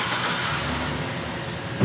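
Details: 2005 GMC Sierra GMT800 V8 idling: deep, steady idle with an even beat and no stumble or miss; engine runs smoothly and healthy.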